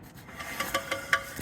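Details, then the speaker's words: Alfa Romeo 156 V6 after a front wheel bearing job, on a short drive: short scraping rubs every fifth of a second as the wheel turns; owner suspects the pads are catching on a worn brake disc. "so I've just gone for a quick spin in it and we've got a noise coming for like something's catching if you can hear that"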